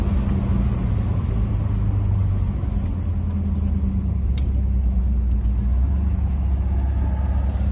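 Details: Car on cheap Temu knock-off Flowmaster two-chamber mufflers, replacing 15–20-year-old Flowmaster 40 series: a steady, deep exhaust rumble on the drive-by with no rattle or buzzing. It sounds no different from before, just without the rattle; a healthy exhaust.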